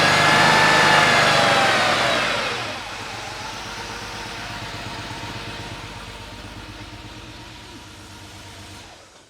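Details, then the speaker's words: Porsche 911 Carrera at first start after an engine teardown and cylinder-head rebuild: loud flare, then a lumpy idle; the number 5 fuel injector is clogged and not firing, so the engine is not running on all cylinders. "It's running. It's running, but it sounds like it's not running on all the cylinders. And I listened to the fuel injectors, and sure enough, number 5 is not firing."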